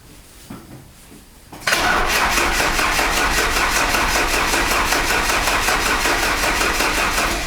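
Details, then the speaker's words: Alfa Romeo 156 TS Twin Spark after engine rebuild for knock, first start attempt; starter cranks evenly without catching, fault code P0335 crankshaft position sensor with its connector unplugged; crank no start. "Так у меня бьёт 0335 датчик оборотов он же датчик коленчатого вала"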